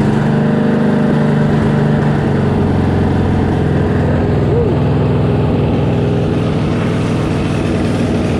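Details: Riding mower engine started with a little throttle and choke after replacing a leaking oil seal: the small single-cylinder catches and settles into a steady, even putter with no knocks or misses, a normal healthy idle.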